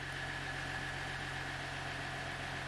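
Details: 2018 Dodge Ram Laramie 3.0 L diesel, after restoring the TCM power supply (code U0101), running with no transmission codes: steady even idle, constant low drone, no knocks or misses; normal idle.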